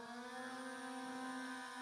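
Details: YLRC S138 brushless drone on automatic takeoff after compass recalibration following a crash: even, steady whir with constant pitch as props lift off, no roughness or surging; motors sound healthy.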